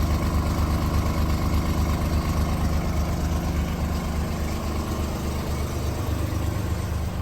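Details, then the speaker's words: Mazda RX8 rotary that sat about a year, with new coil packs, plugs and plug wires that changed nothing. Lumpy, uneven idle with a loping pulse about three times a second; the owner suspects one rotor isn't firing and the other has low compression. "but it definitely sounds like one rotor isn't firing and the one that is the rotor that is firing um has low compression"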